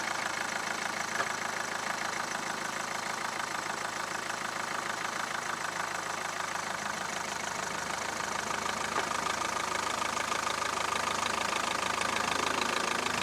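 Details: Mahindra Verito diesel with noise complaint when engaging reverse: steady diesel clatter holds even in reverse with a light rev, no thumping or rattle from the mounts heard in this run; normal running.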